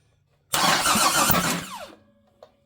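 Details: Big-block V8 on engine stand, out of car, turned over with starter for first test: about 1.5 s fast busy starter churn with rapid uneven beats, winds down without firing; turns over freely, unadjusted valves, possible whacking suspected from valve cover.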